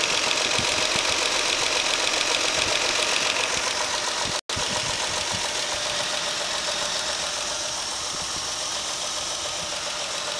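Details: Idling car engine with a steady light knock, about three to four a second, over a bright clattery tone; the knock is clearly heard until one injector is plugged back in, and no other cylinder does this when unplugged; engine knock at idle.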